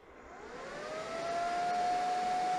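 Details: DIY 1200W ammo-box power supply with XY6020L regulator and no fan control, switched on: whirring tone climbs in pitch as the fan spins up, then holds a steady loud whine at full speed; normal uncontrolled fan.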